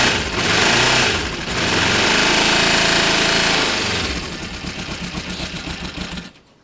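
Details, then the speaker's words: Motorcycle starting on a temperamental battery: cranks, catches, revs briefly high then settles to an uneven lumpy idle; owner thinks it runs well but suspects the carb air-fuel screws need tuning, fuel leak also noticed. "i think it's probably a good running bike it needs a couple of tweaks i need to tune the um the car bare fuel screws"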